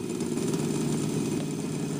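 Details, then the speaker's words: Sony TC-252D stereo tape deck after fixing a metallic noise; dense, even low rumble, no knocks or beat, like a hardened rubber idler wheel; owner suspects rubber wheel or bedding-in of the flipped fiber washer, unconfirmed. "still have some rumble in the uh deck it actually sounds more like a something out around now like a rubber wheel that's out around"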